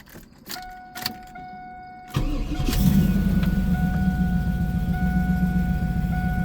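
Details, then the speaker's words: 1996 Chevrolet Camaro Z28, 5.7L LT1 V8, 4-speed automatic, tuned on a stock cam: a few chimes and a short crank, then it fires at once into a slightly lumpy, loping but steady idle. Normal cold start. "Because it is tuned, it does have a little bit of a lope to it. It is on a stock cam though. You can hear it purring away. Runs really good."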